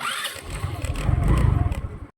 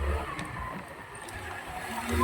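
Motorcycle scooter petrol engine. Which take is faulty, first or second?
first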